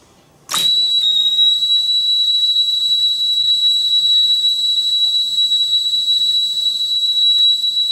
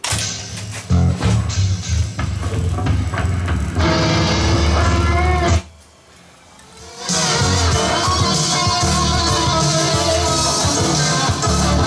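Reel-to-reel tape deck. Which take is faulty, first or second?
second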